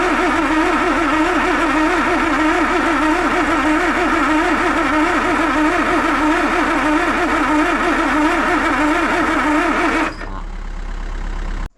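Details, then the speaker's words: Land Rover 2.25 petrol with refurbished Zenith carb, new distributor, coil, HT leads, solenoid, lift pump and starter, stood months; cranking with choke pushed back in, steady even churn with no catch, fuel present at carb; cranks but won't fire, spark check next. "So it's not even sounding like it's gonna fire."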